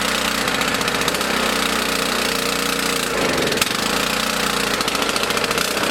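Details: Small single-cylinder mower engine on 87 octane fuel stored 13–14 months, choke on: steady high-speed buzz with a brief dip midway, otherwise even; running fine.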